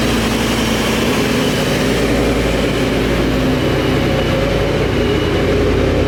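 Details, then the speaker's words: 2011 Mustang GT V8 with newly installed Paxton Novi 2200 SL supercharger on a base tune, first startup: deep even burble at warm-up idle, steady low drone, no knocks or misses; healthy. "that right there ladies and gentlemen is such a good sign the car sounds super healthy"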